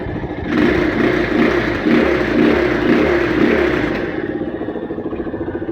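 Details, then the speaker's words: Honda XR200 after carburetor repair, formerly hard to start: starts on one click, revs up and settles to a steady, even single-cylinder idle with no knocks or misses; normal running. "one click umaandar kaagad 'yung motor. Isa pa kung one click. Ayan andar kaagad."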